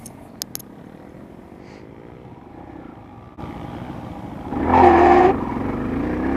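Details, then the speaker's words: Motorcycle launching from a stop uphill in second gear with quick clutch release: sharp metallic screech for about a second under load; chain ruled out, owner suspects clutch, not confirmed. "okay I heard that sound again and it happened when I was in second and I gave a gasp I think my clutches [ __ ] up"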